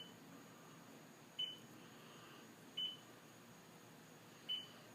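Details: STX15F watercraft (runs hot, won't start): short high beeps about every 1.5 seconds with the battery disconnected and ignition off, indicating a failing voltage regulator.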